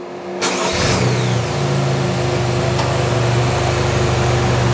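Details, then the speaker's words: GM 1.4-liter GDI Chevy Cruze engine on a training bench with stop-start: engine stopped with brake held, then the AC was switched back on (a stop-start criterion) and the engine cranked briefly, caught and settled into an even idle, a normal automatic restart. "the ac request went back to yes that's why the engine restarted"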